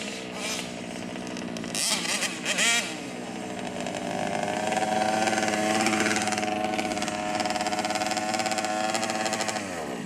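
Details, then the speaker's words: 1/5-scale RC car (Losi 5T with Taylor 71cc Supreme or Outlaw Twin 70cc two-stroke): buzzing unevenly, pitch wavering and stuttering as it revs and drops off, choking; rough running, carburetor needs tuning. "You can hear it, it's choking, it's not running healthy. Yeah, so Dave need to tune up the carburetor and he'll be top fine here."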